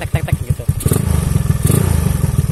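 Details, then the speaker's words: Honda Beat, carbureted, a year unused and never serviced, on a test ride: rough uneven engine with a loose "kletek" ticking clatter that quickens as it pulls away; light smoke, owner suspects worn piston rings. "kedengeran kan suaranya itu udah kasar bener lah"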